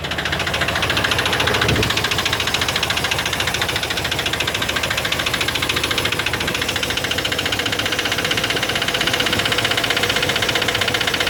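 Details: Chevy 350 5.7 L V8 after intake manifold gasket replacement: steady fast clicking over an even idle with diesel-like clatter, attributed by owner to low lubrication.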